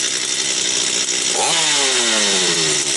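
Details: Stihl 250 chainsaw, about two years old (2022), brought in for not starting; it starts on the third pull with choke and warms without throttle: high, raspy two-stroke note drops off and settles evenly without stumbling, running cleanly.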